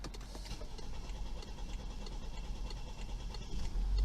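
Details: BMW that wouldn't start, drivetrain malfunction shown, range zero miles, out of gas: after two gallons of fuel were added, a faint, low idle with light, slightly uneven patter and no knocking; engine running normally again.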